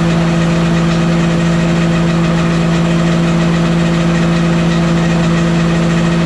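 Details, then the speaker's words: Walker mower deck after fitting new OEM blades and hubs and a used rebuilt gearbox: loud steady droning hum with a metallic ring and a constant rotating beat, not a ting; the same sound persists, cause unknown. "And the noise I'm hearing, I explained it as a ting noise, like ting, ting, ting. That's not what it's doing. I guess I explained it wrong. It's like a rotational noise, but it's like metal sounding."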